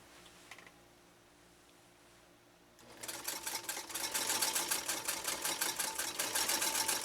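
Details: Singer 192K Spartan sewing machine with 0.80 A motor, sewing leather under foot control; after a quiet start, a quick, even clatter of about four stitches per second; normal, smooth running.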